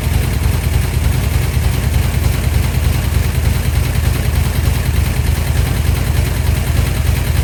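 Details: 1972 Dodge D100 V8 bracket truck, first start after solid roller camshaft and Speedmaster 265cc head swap, timing not yet set. Fast uneven lope about three beats a second, stumbling and missing: rough running, cause not pinned down.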